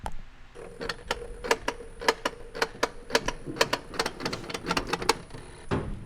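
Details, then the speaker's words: C10 patina build before first start, engine off: irregular sharp ticks and faint buzzing whir as the accelerator pedal is moved, the electronic throttle body actuating properly. "if you guys can hear that that's actually the electronic throttle body because trevor trevor's messing with the pedal here so that's working"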